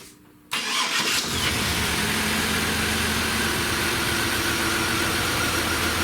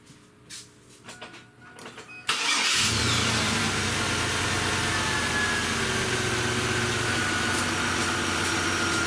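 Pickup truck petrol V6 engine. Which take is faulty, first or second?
first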